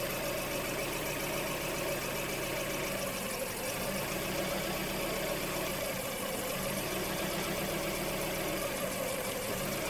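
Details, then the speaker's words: 2003 Hyundai Elantra 2.0 L petrol idling with a lumpy beat from a cylinder 3 misfire. Swapping plugs between cylinders 2 and 3 changed nothing and the injector waveform looks normal. The cause was found to be a leaking intake gasket. "we definitely have a problem with number three even though injector waveform looks normal"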